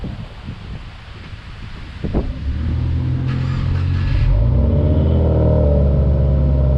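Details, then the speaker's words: Subaru WRX (2015+), after spark plug replacement at 50,000 miles with plugs gapped to 0.032 and torqued to spec: starter whirs, engine catches in about two seconds, then settles into a steady, even idle with no stumble. "the only thing i got to do is start the car make sure that it sounds good idle's a little better"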